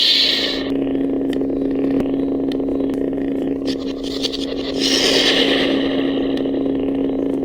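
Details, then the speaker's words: Saberforge Unleashed lightsaber with Sabercore 3.0 soundboard on light-side font: steady hum with irregular sharp ticks and pops while on; owner suspects the Sabercore 3.0 soundboard. "So as you can hear, the Saberforge Unleashed has ticks coming back and forth during the lightsaber being on. It's quite annoying at times."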